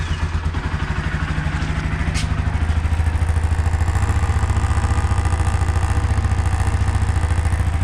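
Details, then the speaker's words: Honda CB Twister motorcycle idling and revved: light buzzy clatter on each engine pulse, initially suspected engine problem, traced to a loose rear license plate. "bom então vocês viram aí mano faz muito barulho rapaziada"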